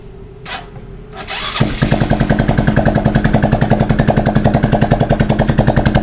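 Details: Honda XRM125 motorcycle whose engine oil dried up: once started, a loud, steady metallic clatter about 3.5 times a second from piston scuffing the liner through metal-to-metal friction; engine block and piston replacement recommended.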